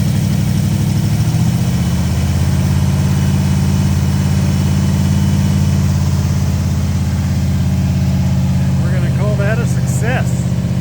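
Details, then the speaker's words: 1970 Oldsmobile Toronado 455 V8 that sat for years in a construction yard, run on a battery charger with the choke held by a screwdriver. After a restart and revving it runs loud with a steady, even low rumble, then overheats. "Oh, we have overheated it. Well, that's a good time to stop."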